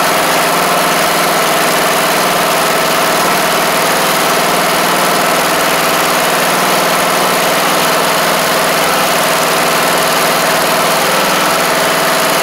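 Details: MTD Craftsman LT1500 riding mower with a swapped-in replacement engine on first start after adding gas and oil: loud, constant drone at one steady speed with no surging, knocking or misses. It runs evenly.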